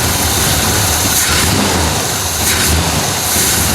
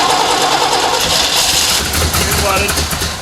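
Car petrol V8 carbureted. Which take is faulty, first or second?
second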